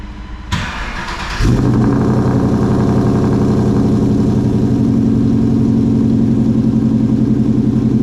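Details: Coyote-swapped SN95 Mustang with newly welded exhaust, cold start after fitting a new power steering pump: starter whirs about a second, V8 catches and settles into a deep, even idle with no misses or knocks; sounds healthy.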